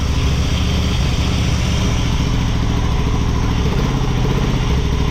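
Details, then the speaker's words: Honda Shadow motorcycle (possibly 650) that sat almost a decade, after battery charge: deep thumping idle holding on its own, slightly lumpy while still cold on partial choke; normal cold idle, bad gas still in tank. "check it out she's idling under her own power"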